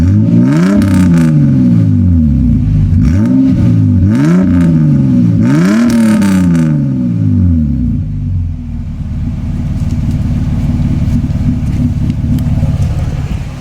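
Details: Toyota Cressida MX83 with a newly built temporary exhaust, heard from the rear: three clean throttle blips rise and fall quickly, then a calm idle; quiet, smooth exhaust with no rattle, a normal exhaust note.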